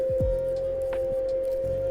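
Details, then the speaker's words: Glion DollyXL electric scooter, high mode, hill climb dropping from 10.8 to 10.3 mph: loud steady whine with low sweeping thumps, motor struggling under load. "10.6. 10.3, you can hear it struggling. That is deafening."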